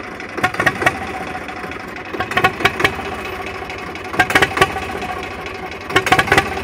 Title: Zebra 3520 rough idle